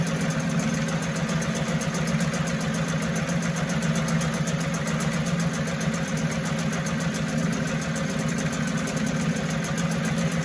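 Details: 1974 Mercury 4 hp single-cylinder two-stroke outboard, made in USA, revived after long storage: small outboard buzzing at a steady idle with constant rapid beat, no misses or surging; sweet, easy-starting machine, normal running.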